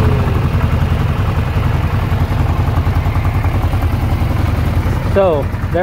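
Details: Repaired 2008 Yamaha Rhino 660 UTV running in high gear; its earlier in-gear-only missing and stalling was traced to the speed sensor or its wiring. Steady low drone with even firing, no stumble or miss; smooth running in gear.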